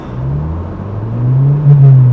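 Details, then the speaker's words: 1995 Ford Probe automatic on a 700-mile road trip, gas gauge dead, something getting hot: engine drone climbs in pitch as revs flare without matching pull. Transmission slipping, suspected, cause unconfirmed. "yeah we may have just lost our transmission oh this is bad see oh my goodness okay it's freaking out"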